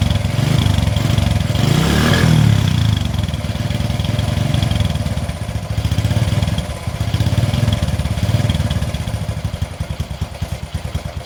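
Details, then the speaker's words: 20-year-old Bajaj CT 100 single before repair: deep, uneven thumping that stumbles and surges before a ragged run; hard starting, weak spark at plug suspected, later fixed by reducing plug gap. "അപ്പോൊ ഇതില് start ആകുന്നുണ്ട് പക്ഷേ ചെറിയൊരു starting trouble ഉണ്ട്"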